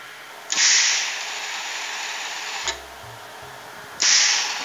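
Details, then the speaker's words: Ozito MIG welder after a Euro-plug upgrade, with current-limiting resistors fitted to the gas solenoid: two sharp bursts of steady hissing as the trigger opens the valve, each cutting off cleanly; shielding gas flows normally through the flow meter. "flow meter beautiful working perfectly let's turn it off"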